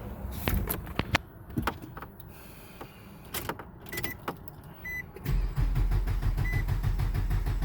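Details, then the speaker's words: 2003 Nissan Altima four-cylinder that won't start: starter turns engine over steadily, about three beats a second, never catches; crank no start caused by failed camshaft position sensor, to be replaced. "el problema de este carro es esto este que está que ese es el el sensor del del campo ser consenso ese es el sensor que no le permiten al carro encender"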